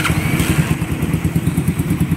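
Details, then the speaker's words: Motorcycle at a carburetor-tuning shop idling: rapid thumping about eight beats a second with loose clatter; noisy engine, louder when hot than when cold, cause unclear and still to be checked. "ganito, pag mainit boss, maingay na. Mas lalo. Itong kay sir malamig, hindi masyadong maingay, pero dito ramdam na mga boss oh."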